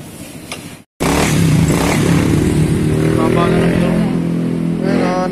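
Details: Honda Beat scooter that would not start and had no idle, showing error code 52; wiring and stator wire were checked. Once it catches it holds a fast, steady idle with no misses. The high idle needs lowering, and it stalls suddenly.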